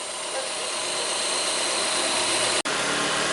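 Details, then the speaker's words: Chevrolet Corsa engine after reassembly and timing alignment, checked for an earlier engine noise; a steady, even idle with a light mechanical hiss and no knocks; quiet, normal idle. "ok motorista quietinho não tô ouvindo nada perfeito"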